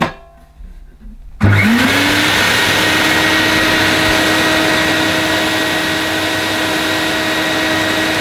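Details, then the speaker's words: Electrolux Masterlux 3-in-1 vacuum cleaner, new in box but pump not working: motor spins up quickly to a steady, clean whine with even pitch and no rattles or scraping; motor itself sounds okay, though spewing carbon dust. "the motor sounds okay i might i could just sell it as it is i suppose"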